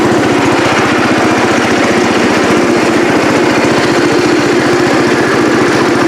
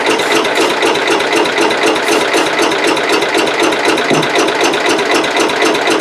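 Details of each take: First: Cub Cadet 108 single-cylinder tractor, carburetor float known to stick; loud, steady, even thump with no stumbling or surging; normal running. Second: Cub Cadet 108 garden tractor, cold (mid-30s °F), brake clean sprayed in carburetor: steady cranking about four beats a second that never fires; no-start from weak spark, points need cleaning.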